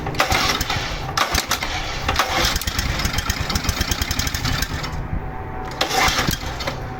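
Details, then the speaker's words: Seized low-hour Honda HR215 lawn mower being freed, with rancid old fuel in the carburetor. Repeated pulls bring short, uneven popping bursts that die within a second. It fires weakly but won't catch; cause unconfirmed. "it's actually kicking i see a little bit of smoke coming out of the cylinder there it actually started suddenly getting a little bit easier and then kicked off a couple times"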